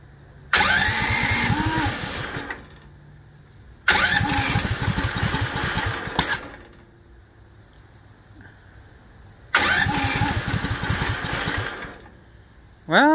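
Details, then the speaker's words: Duromax 18 hp engine started with choke set and no throttle: fires three times, runs about two seconds, then fades and dies; starts but won't hold idle, stalls after starting. "Still died"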